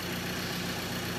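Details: 2013 Ford Ranger 2.2 TDCi, first start of newly fitted recon engine after priming oil pressure: brief even diesel clatter at idle with faint light tapping while oil comes round; running normally.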